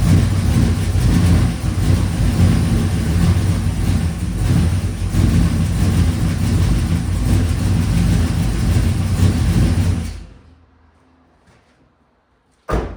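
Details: Desperado truck V8 with replacement engine and stage 3 cam (after previous engine's rod knock), cutout open, MAP sensor unhooked; uneven stumbling beat and lumpy exhaust, also very rich: suspected misfire.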